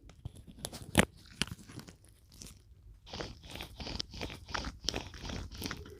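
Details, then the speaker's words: 2017 Mini Cooper Countryman F60 All4, removed right rear wheel bearing hub turned by hand with microphone held against it: gritty, uneven crunching and grinding; cause of drivetrain rumble, though no play was felt at the wheel. Wheel bearing roughness. "It sounds like there would be a fair amount of play in that bearing.."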